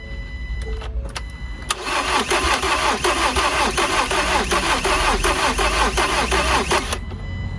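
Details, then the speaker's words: Salvage 2019 Ford Transit Connect being rebuilt after new manifold install: starter spins engine steadily for several seconds but it never catches; crank no start, no fuel because fuel pump plug is broken off so pump isn't working. "there's our issue the fuel pump PL is broken off so the pump isn't working and we got no fuel"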